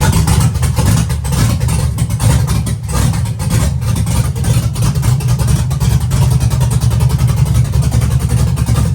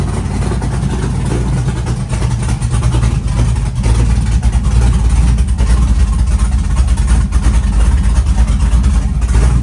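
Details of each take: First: Chevy truck with LS-swapped big-cam V8, on another tune: deep surging, wavering, stumbling as throttle comes on; data log shows ignition timing falling off completely on throttle, causing unstable running. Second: Chevy truck with freshly built LS-swapped big-cam V8, warming up from 75° coolant temp, 65–75 psi oil pressure at idle: choppy loping idle staying even and steady, no knocking; healthy engine.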